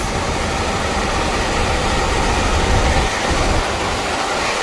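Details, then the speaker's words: Furnace blower running smoothly after blower wheel replacement (original screeching diagnosed as blower wheel), AC on via thermostat: steady even whoosh of air with low rumble, no scraping or screech; runs well, normal blower operation. "all right hear that runs well no horrible noise"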